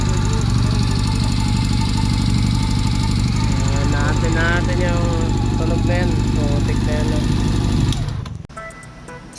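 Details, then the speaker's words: Honda CB400, long-stored with rusted head and valves, rebuilt with new harness, hoses and a serviced carb. At idle, a light, even tick about three per second from the top end. Valve clearances found enlarged; tensioner or chain guide also suspected. "ito na nga ah nag-valve clearance ako putaan lumaki yung mga valve clearance nito."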